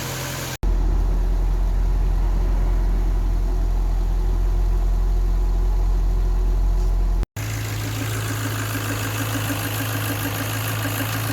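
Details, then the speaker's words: Ford Focus Mk1 Sigma petrol engine idling right after a thorough oil change and oil filter priming, no leaks found: smooth, steady even hum with a faint belt whir and no knocks or misses. Belts are the main noise, a healthy normal idle. "is how a happy Ford Sigma should sound like. There's more noise from the belts than anything. This is such a ridiculously good engine."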